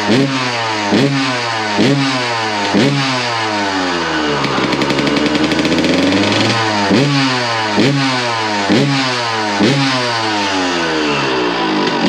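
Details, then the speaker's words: 2001 Suzuki RM125 two-stroke after repacking the exhaust; crisp blips climbing and falling cleanly with a steady rising rev, sounds much better and is now trying to idle, which it did not before. "man that sounds a lot better sounds ten times better he's trying to idle too now what the heck it didn't idle before"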